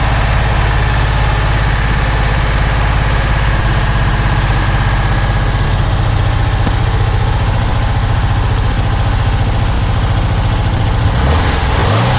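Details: 1966 Porsche 912 cold start at about 60°F after a fuel line fix, distributor loosened for timing, burning oil: deep, lumpy idle with an uneven loping beat, missing on some cylinders; owner suspects a dirty carb.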